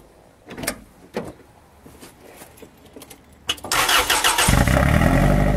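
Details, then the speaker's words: Toyota Tarago/Previa/Estima TCR11 van started with new Bosal catalytic converter fitted but rest of exhaust off: starter whirs, engine catches, loud raw rasping idle with sharp exhaust pulses; open exhaust right after the catalytic converter. "Right, I've got the first part of the catalytic converter on, and again I'm going to start it without the rest of the exhaust, see what it sounds like just with the catalytic, okay?"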